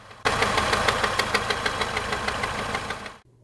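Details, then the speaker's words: 2011 Mini Countryman at idle, heard from the right front wheel well by the crank pulley, idler and water pump pulley: a loud metallic clatter, about three knocks a second. It sounds like rod knock, but has persisted six months with no debris in the oil. "and here is what the engine sounds like yes that really sounds bad"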